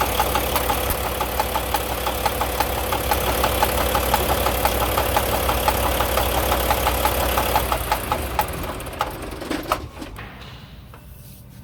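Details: Volvo D13 semi truck diesel idling with a loud, sharp regular top-end knock about three a second, from a seized rocker arm roller with a flat spot and a worn cam lobe.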